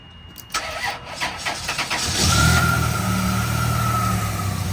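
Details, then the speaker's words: 1998 Chrysler Town & Country after cutting shorted alternator feed wires on the ASD circuit and replacing the fuse: quick even cranking, engine catches cleanly and settles into a smooth, steady idle; starts and runs normally. "Okay, well I think we found the problem. Okay, the car is on now. We found it."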